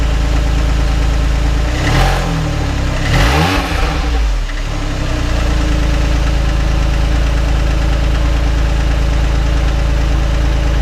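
Deep, uneven idle with a light knock repeating about three times a second and a short blip; the knock's source is unclear.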